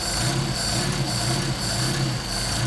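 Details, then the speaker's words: Mercedes 190SL with rebuilt Solex 44PHH carburetors, just after a cold start at about 56°F ambient: low, steady idle with a gentle, slightly uneven pulse as the cold engine settles before warm-up; running smoothly. "Not bad for a cold engine. So right now we're going to warm up the engine."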